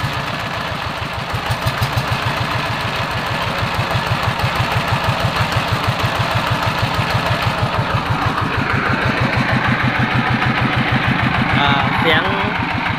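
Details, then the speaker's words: TF115 single-cylinder diesel that was hard to start, after parts replacement and reassembly (internal bearings not yet done): an even idle thump with clean firing and good pressure build-up. Normal idle. "เดินเบาได้ปกติครับมีแรงดันขึ้นดีครับ"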